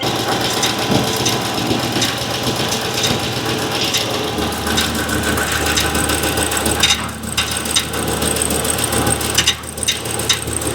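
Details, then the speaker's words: 2015 Chevy Silverado 2500HD, about 197,000 miles, mic on passenger frame rail while backing up and stopping: loose metallic rattle and clicks not following revs, unchanged with serpentine belt off; starter drive chattering against flywheel. "that was a noise that was very perplexing. So what I did is pulled the front belt off, and serpentine belt off. The noise was still there, didn't change a thing."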